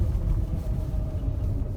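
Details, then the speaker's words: 2012 Renault with EDC dual-clutch gearbox, 115,000 km: deep, steady growl starting once the car moves and rising with speed, from a failed gearbox bearing. "Evet hareket etmiyor açık başladı al bariz bir şekilde ses geliyor orta kulak tırmalıyor yani Çok ciddi bir şekilde ses geliyor"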